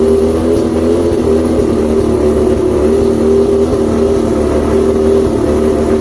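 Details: Outboard two-stroke after the plugs were checked, the fuel pump and carbs rebuilt, the trigger loosened and spark confirmed on all cylinders: an uneven idle with a recurring high chirp that drops in and out. Cause still unknown. Rough idle with chirp.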